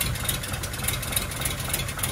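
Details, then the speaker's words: Normal idle: an even, steady idle with light ticking about three times a second on a Daimler limousine's first start after 32 years, in neutral in a cold garage. The owner wonders if it is only running off the carb. "it's running. Did I do it? Or is that just running off the carb?"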